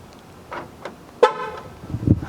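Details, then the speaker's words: 2001 Dodge Ram 1500 5.2 after fixing the ground terminal and fitting two CR2016 batteries in the key fob: one short clear horn toot answers the remote press; keyless entry and horn work normally. "fob works it's worth continuing to work on this truck"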